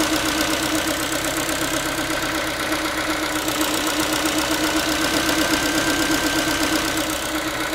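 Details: Ford Focus 3, 1.6 (125 hp) engine idling after a cold start: a fast tinny, pan-like metallic rattle of about four taps a second riding over the engine hum; source not pinned down, owner asking what it is.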